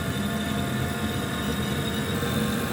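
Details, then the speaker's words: Oil-fired boiler burner just fired after pressing start, pump working, pressure being raised toward 20 bar during a service; steady even roar with constant hum, no surging or popping; firing cleanly. "ss start now in a second I've heard the pump starts to do some work the boiler should fire press start again there we go so now it's fired"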